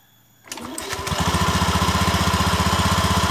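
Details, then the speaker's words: Honda Beat eSP scooter, CVT cover open, engine running with slight throttle: a rough rattling chatter from the clutch bell when pulling away, gone once moving; the centrifugal clutch shoe linings are worn down to nothing and drag on the bell. "sumber bunyinya di sini dilonceng ganda sama kampas dilonceng ganda sama kampas sumber bunyinya ya"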